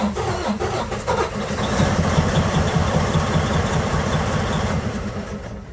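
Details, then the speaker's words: Detroit DD15 fully cold, valves adjusted only two months earlier: it cranks, sputters and stumbles for several seconds before steadying. The hard cold start points to valves out of adjustment; worn valves needing replacement are possible. "so you guys can hear how it struggles to start you can hear that sputter chances are your valves are out of adjustment"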